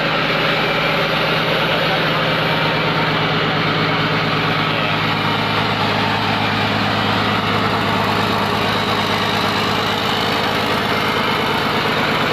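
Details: Komatsu PC200-8M0 diesel engine running after overhaul: loud steady idle with even low chug, no knocks or rattles; healthy normal idle.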